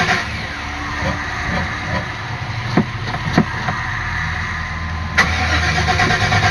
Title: Van won't start again